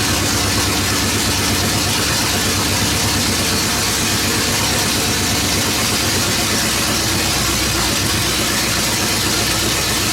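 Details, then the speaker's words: 1970 Pontiac GTO V8 idling on open headers after engine work, before first drive: loud raw steady rumble with no misses or stumbles; sounds a lot better, normal even idle. "That sounds way better. Huh? What did you say? Sure, Hater neighbors will paint. suggest otherwise, but it sounds a lot better."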